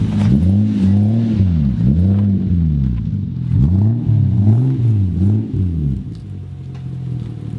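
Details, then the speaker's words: Nissan 240SX project, first start-up with an old, primitive ECU that throws nearly every code and puts it in limp mode, dumping fuel: the engine only blips lazily after a delayed response to the pedal and sags back to idle, never free-revving. "you start the car up and when you push down on the pedal nothing happens push it all the way down on the floor you wait a beat then it moves it doesn't free rev or anything like that it just blips"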